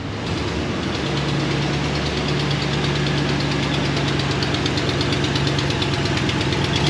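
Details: 2016 Dodge Ram 1500 5.7 Hemi V8, 52,944 miles, shorty headers/tubular manifolds fitted: light fast slightly uneven ticking, about three per second, over steady idle; exhaust manifold leak, broken studs suspected.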